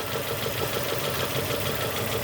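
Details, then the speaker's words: 2002 Nissan Almera N16 with a QG18 cable-throttle engine, bucking at idle after a spark plug change; cylinders 3 and 4 are not contributing, running on two, because two coil connectors were swapped. A rough, lumpy idle with an uneven chuffing beat. "number 3 not contributing, number 2 contributing, number 1 contributing. So right now the vehicle functioning on firing on 2 cylinders."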